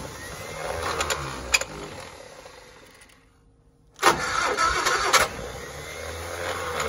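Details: 1960 Onan industrial engine for a homemade Model T replica, first start in many years; fuel pump vacuum shutoff lever propped open. Uneven cranking that stops and resumes, never catches; afterward fuel is seen coming up, possibly starting to fill the float bowl.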